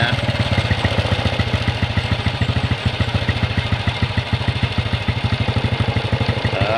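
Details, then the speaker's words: Honda Revo motorcycle after carburetor reassembly and cleaned air filter: fast, busy idle with quick even pulses around two hundred a minute; idle speed too high, lowered via throttle stop, air screw opened 1.5 turns as mixture too rich. "Terlalu tinggi teman-teman gasnya ya. Jadi kalau gas terlalu tinggi, tensionernya kita turunkan ya."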